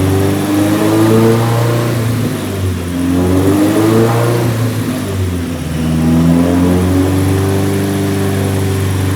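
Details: Nissan 180SX Type X, SR engine with TD06 20G turbo, Nistune ECU, 3-inch dump pipe with muffler deleted, full-load dyno pull at 15 psi: smooth rising and falling tone with no stumble; about 255 rwkw with injectors maxed out, healthy.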